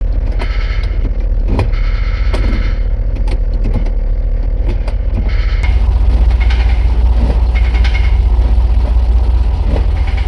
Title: GMC w4500 knocking noise from transmission area #gmc